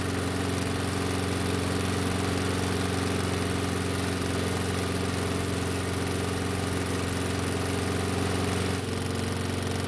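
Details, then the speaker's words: Warm Toro mower restarted with air filter off the carb and choke partly closed, taking a few pulls; steady, even single-cylinder putter with no misses or surging; normal idle, runs same with choke open. "it did take a few pulls to get it to start but that's not too bad for this type of choke system and for not having the air filter on the carb"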